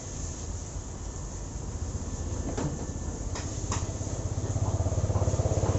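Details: Honda CB motorcycle: single engine revving with an uneven, pulsing beat growing louder toward the end; abnormal engine noise, cause unclear.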